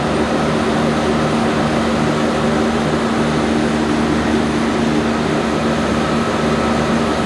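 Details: 1106 diesel generator running steady under 100% load after the injection pump droop adjustment that fixed hunting and unstable frequency. The drone holds one pitch with no surging or hunting, and the governor holds speed.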